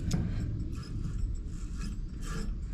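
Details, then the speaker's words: Spare alternator from a box of parts (serpentine pulley, wrong for the truck's V-belt crank) turned by hand: gritty, rough grinding rumble; bearing bad and possibly something between the brushes; plan to move its pulley to the freely spinning alternator. "the bearing is obviously bad and it sounds like there's something in between the brushes."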